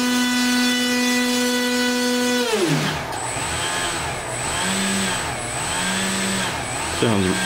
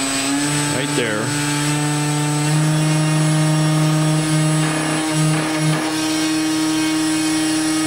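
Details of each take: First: RC airplane electric motor with 23-inch drive shaft extension to the prop, bearings breaking in: steady, clean whine at constant speed, smooth wind-down and brief spin-up, no rattle or rub; shaft runs smoothly, sounds really good. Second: RC airplane electric motor driving a 23-inch drive shaft extension to the prop, bench-run uninstalled with new bearings breaking in: steady whine, mostly smooth, slight harmonic vibration near half throttle, likely the unsupported shaft; expected to disappear once installed.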